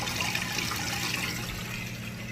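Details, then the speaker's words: Maytag high-efficiency washer after the wash and rinse cycles, draining fast before the final spin: a steady rush of water over an even drain-pump hum, with no grinding or rattle. Normal draining. "Alright, we've made it through the wash and rinse cycle. Now it's draining all that water out. You can hear it draining nice and fast"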